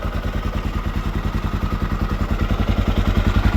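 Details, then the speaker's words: 1979 Honda XR500 single, freshly fully rebuilt, idling after noisy top end was fixed: even steady thump three to four beats a second, no valve tick, engine quieter; normal idle. "Headlight was a fix. Engine's quieter."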